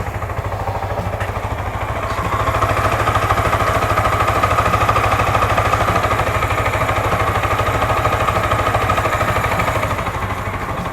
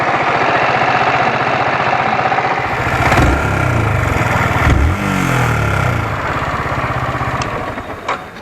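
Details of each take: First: Motorcycle after service, smooth even idle with no tapping; earlier rocker/tappet cover noise now fixed. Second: Motorcycle at idle: a light, steady "kit kit" tick from the cylinder head, which a mechanic suspects comes from the rocker arms; the source is still to be confirmed.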